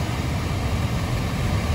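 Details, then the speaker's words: 2013 Dodge Avenger at idle with fan running after blend door actuator repair; no clicking or ticking from behind the dash where the actuator previously clicked when AC or heater was on. Normal operation, no actuator clicking. "so he's not making that noise so I'm gonna go ahead and close it up and put the screws back on and see what happens"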